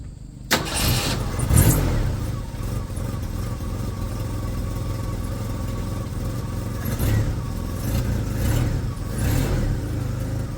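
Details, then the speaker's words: 1st-gen Ford Ranger four-cylinder, very high mileage, too-big camshaft, exhaust leak, just lowered on DJM beams: catches, revs, settles into uneven loping idle with exhaust puffing; lumpy idle from oversized cam. "so ignore the exhaust leak and just listen to the wonderful lump of a four-cylinder with too big of a cam for the million miles that are on that motor wonderful right"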